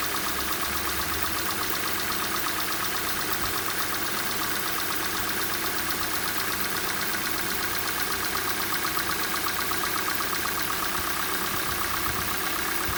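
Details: Hyundai/Kia G4NA engine cold start: steady light knock, roughly two or three a second, over an even idle hum; knock fades as the engine warms, cause unclear.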